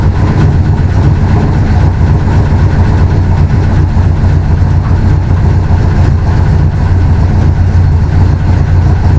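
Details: Willys DJ5 with new 4-into-1 exhaust with collector and over-axle pipes, in an enclosure: deep, loud, even exhaust rumble at steady speed with no misses or rattles; engine running healthy.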